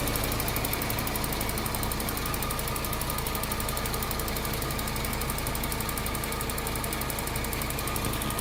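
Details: 2008 Cadillac CTS AWD after a timing chain job: fast, even ticking, about four a second, over a steady idle. Source not pinned down.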